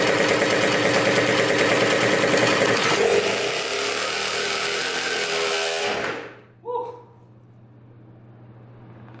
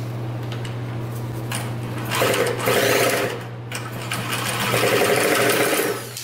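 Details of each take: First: 2000 Cobra 50cc two-stroke racing mini dirt bike after fuel was poured down the carburetor: high, sustained buzzy scream held flat out about six seconds, apparently at full throttle, then abrupt cut-off; running strong. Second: 2000 Cobra 50cc two-stroke racing mini dirt bike spun over with a drill: steady whir with faint compression chuffs, never fires; cranks but won't start. Owner suspects the bad-looking air filter and plans to pour fuel down the carburetor.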